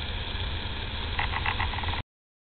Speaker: This sound is emanating from the repaired and exposed lines under the house, possibly the cause of the leak or another leak within the line. Sound appears to be abnormal and non-typical for plumbing lines.